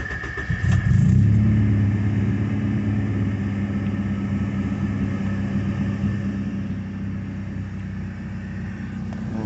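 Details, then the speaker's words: Honda car with completed K24 (TSX) engine swap running on Hondata KPro base map: smooth, even low hum with brief rev blip, then steady settled idle; engine runs healthy. "um yeah it runs really good on kpro and uh i'll go ahead and start it up for you guys"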